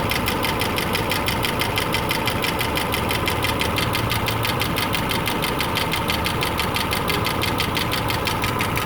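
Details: 2008 Subaru Legacy 2.5i flat-four at idle: a steady, fast tick about three per second from the passenger side, with a check engine light and misfire code P0303 on cylinder 3; owner suspects a rod bearing, lifter, valve adjustment or timing, unconfirmed.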